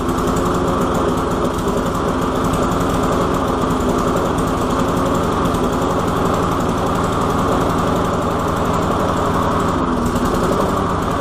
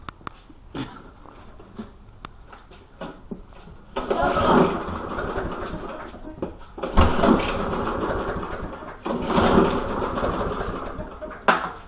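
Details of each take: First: Walk-behind lawn mower after priming and carburetor cleaning with methyl hydrate: steady fast even beat throughout, no stumbling or surging; normal running. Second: Walk-behind lawn mower after the spark plug was pulled, found dirty with a rather large gap. Several separate recoil pulls, each a short rough rasp that dies at once; the engine never catches. Cranks but won't start.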